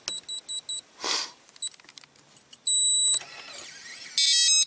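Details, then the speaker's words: RV Lock keyless entry door handle after covering the piezo speaker with Gorilla Tape: short high chirps in a group of four, then longer steady tones, much more subdued; quieted keypad beeper working normally. "definitely the beepings a lot less on it yeah that's a lot a lot better a lot more subdued"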